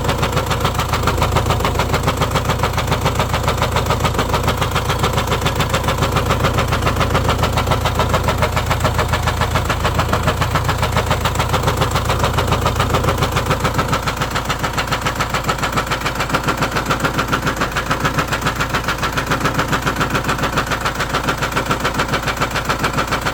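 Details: Renault Espace 1.6 dCi M9R diesel at idle: sharp, steady knock about three or four hits a second over the rumble; source unknown, owner asks where it comes from.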